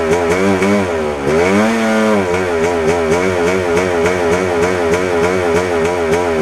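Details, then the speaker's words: 1997 Yamaha YZ250 two-stroke, warm, clutch in, light eighth throttle: buzzing note with pitch wobbling up and down several times a second, stumbling and sputtering; cause unconfirmed, owner suspects crank seal or throttle adjustment. "I just figured out when I was going to ride it around. See how how soon it took for that sputter to come."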